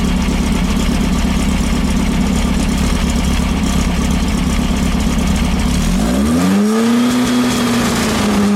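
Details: 1915cc VW Manx buggy engine with dual 44 carburetors, after replacing a 009 distributor with an 034 to fix timing issues: loud, steady high-speed run, then revs drop cleanly back to a smooth idle. The engine sounds healthy.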